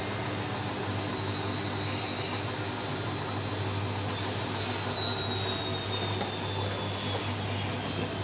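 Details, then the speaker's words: Front-loading washing machine spin test after checking for loose parts: a steady low drone with an even whir and no thumping at maximum spin. Normal; the owner's vibration is attributed to wrong foot placement. "saja ya tidak terjadi getaran seperti yang di video dikirim oleh pemiliknya"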